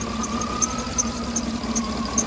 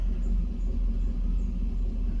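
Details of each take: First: 2009 Cadillac Escalade V8 at idle after oil pickup tube replacement: light, uneven metallic tapping about every third of a second, a part hitting up against something, not the former tick. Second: 2009 Cadillac Escalade V8 at idle after oil pickup tube replacement, oil pressure up from 19-20 to 39-40 psi: deep steady rumble with no knocks or ticking; smooth and healthy.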